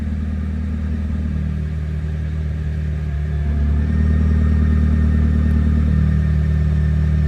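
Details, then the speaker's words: McLaren Speedtail idling in sport mode: even idle drone, then after pressing Active the exhaust note steps louder and deeper and stays; normal exhaust mode change. "So when I press active, exhaust tone changes."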